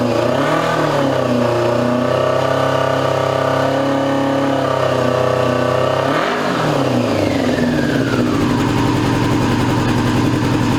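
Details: 2002 Yamaha YZF R6, 6 years sitting, restarted after fuel-leak cleanup: revs blip but the exhaust stays lumpy and uneven, as if a cylinder isn't firing. Owner suspects a gummed carburetor or fouled plug, running on three cylinders; unconfirmed.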